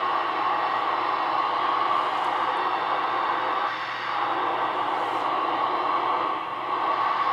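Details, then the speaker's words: Realistic DX-160 shortwave receiver on the bench, antenna trimmer just adjusted, antenna only two clip leads: steady hiss with faint buried tones, a weak station barely above static; poor reception blamed on the makeshift clip-lead antenna, not confirmed. "job there's something there but it's just not coming in good but again that's just two clip leads so we don't expect a lot out of that"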